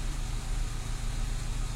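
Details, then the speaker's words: Renault Clio II 1.4 16v with unstable idle, restarted after fuel pump replacement: low idle wavering and lumpy, revs never settling; problem persists, cause not pinned down. "bon la voiture a démarré mais le problème est toujours là"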